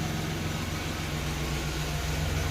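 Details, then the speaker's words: 1990 Chevrolet Lumina Euro 3.1 V6 after engine repairs, fresh fuel and fuel treatment: steady, even low hum with no stumbles, running on all six; idles well, oil pressure good. "idling pretty good oil pressure is good i'm happy with that"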